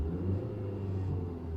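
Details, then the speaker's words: Audi A2 petrol with LPG conversion, still warm, on a new battery (charging about 13.2 V at idle) replacing one with a dead cell that caused cold misfires: low, even rumble with no dips or misses, idle holds constant. "okay now the engine is running idle seems to stay constant"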